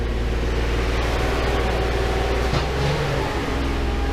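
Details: Datsun 280Z that sat in a field since 2005 after gas tank clogged, during master and slave cylinder work: engine catches and settles into steady, even run with low smooth pulse, no misses or knocks; normal running.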